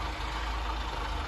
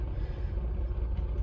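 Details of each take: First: Austin Allegro, fully warm: low, slightly shaky idle with a faint wobble, worse at traffic lights because idle speed is too low; turning the idle screw an eighth of a turn clockwise made it smoother. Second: Austin Allegro fully warmed up, with a slightly shaky idle, just after the carburettor idle adjustment was turned clockwise and the engine was revved out. It settles into a low, even, smooth idle; normal.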